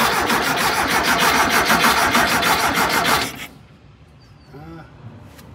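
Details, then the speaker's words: VW Thing air-cooled engine with its fuel filter set up again: even starter cranking at about three turns a second for three seconds, never firing. No fuel is coming through, so none reaches the carburettor; a low tank is suspected. "gas no gas H if we can't get it to come out there it's certainly not going to make it to the carb"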